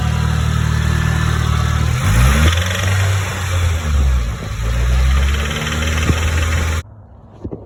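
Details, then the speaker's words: Rod knock on a Nissan Silvia SR engine started off a jump box, blipped to about 2,000–3,000 rpm; hard rapid knock quickening with revs, copper flakes found in the oil filter. "Here she is off the trailer, and as soon as I started it up with the jump box, I heard a little like rattle. I was like, okay, SR, fine. Let her warm up a little bit."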